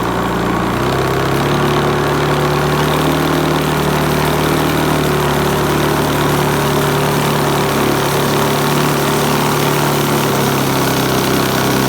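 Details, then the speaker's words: Hoover Commercial C1310 upright vacuum: smooth, steady motor hum at constant pitch, no slapping or squealing, during an agitation test on rice and sawdust; runs normally. "okay so third belter charm and put on another belt these were a load of belts that I bought when I was in the States and these well it worked it worked so much better"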